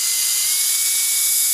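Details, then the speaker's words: 20mm EDF fan, 3D-printed housing, 0703 brushless outrunner, clipped 3-blade prop, 2S, bench test: high thin whine, speed not holding even; motor stuttering under power. "to see you see he is stuttering on me yes here I can feel it better on the - this is what it sounds like"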